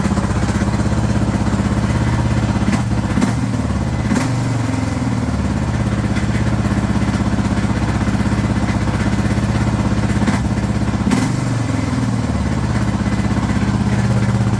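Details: Suzuki DR650 Dakar SP41B single-cylinder idling with a lumpy, uneven beat and odd rattly clatter; owner reports strange engine noises, cause not yet known.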